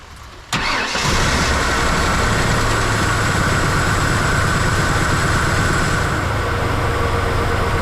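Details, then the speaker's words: 1992 Ford F-150 long-sitting truck, first start after battery, starter and relay work: cranks, catches and settles into uneven, lumpy, shaky idle; engine visibly shaking, owner says it needs motor mounts. "Alright. Well, she's got some shake to her."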